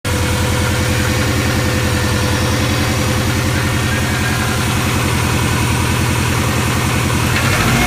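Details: 1997 Subaru Impreza GT (Eurospec WRX) flat-four, stock engine at 230,000 km, cold start: steady rapid knocking, two to three beats a second, over deep exhaust, under light throttle up to 2000 rpm, fading when warm; suspected piston slap, unconfirmed.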